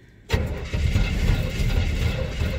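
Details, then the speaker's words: 1975 K20 truck, parked since November after weeks of sub-zero cold, about 22 degrees, no high-speed idle set: cranks, catches, stumbles, then settles into a rough low idle; owner suspects the cold drew fuel back to the tank. "negative temperatures you know suck the fuel back to the tank she wants some more give her some more she's a trying got to get that gas up there"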